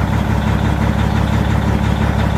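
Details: Cat 3406 E diesel in a heavy truck on a dealer lot in cold weather, push-button start: deep, even rumble with a steady low beat and no knocks or misses just after starting; normal idle.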